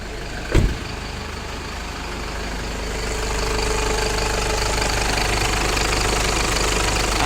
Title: ENGINE NOISE WHEN AIRCONDITION SWITCH ON